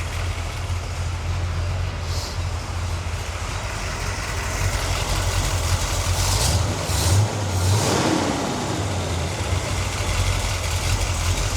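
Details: 1977 C3 Corvette 383 stroker, carbureted, during idle mixture screw adjustment: steady low idle with a slight lope, no run-on/dieseling, some background clatter; the mixture now looks close to right.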